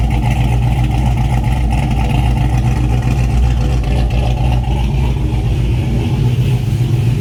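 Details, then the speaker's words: Chevrolet TrailBlazer SS with an engine swap and a poorly tuned ECM, at 171° temperature, firing on all 8; deep V8 rumble with exhaust crackling, and revs hang before slowly dropping; suspected base-table tune issue, unconfirmed. "It's running pretty good. I really haven't stabbed the throttle much, but idea what the hell all the crackling is about, but and now you can hear how it does the throttle hang."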